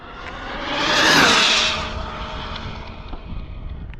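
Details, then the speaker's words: Cobra 5 Ace RC car (4090 motor) speed pass with 121 gearing: car screams past with one flat, unchanging whine that never climbs; motor plateauing, indicating gearing too low and needing to gear up. "All right, so we were plateauing, which tells me that 121 is, you know, on the lower side. Plateauing is very easy to recognize. Just pretty much hear the car, and that's it. Same tone, you know."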